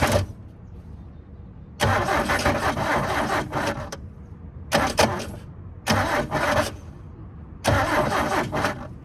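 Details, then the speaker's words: 1972 Toyota Celica 18RC, sat 20+ years, fuel poured down the carburetor vent tubes, choke applied: four cranking bursts each catching a second or two then dying; float bowl running dry, needs more fuel. "Okay, we need a little bit more gas. Let's try to get it down those vent tubes, then it'll fill the bowl up and then it'll run a little bit longer."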